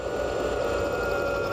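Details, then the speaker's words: Charging-system test with a load tester on the battery, alternator about 20 amps at idle and output climbing as load rises: a steady, clear singing tone holding its pitch over the running engine, shut off before blowing a fuse; alternator whine under heavy load. "Hear it singing? Ooh, shut it off. We're fixing to blow a fuse."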